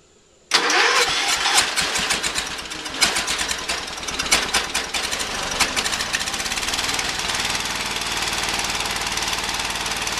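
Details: Early-1980s Ford LGT120 with rebuilt Kohler K301 12hp single (new piston), hard starting warm or cold: long uneven cranking with scattered firing before catching to a steady beat; owner suspects valves or weak battery/coil spark, jump pack helps.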